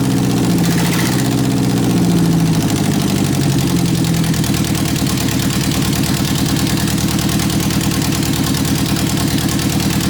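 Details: 1991 Eagle Talon TSI AWD, first startup after a fuel pump replacement and three to four months sitting: a loud, steady idle with an even throb and no misses or knocks. Normal idle.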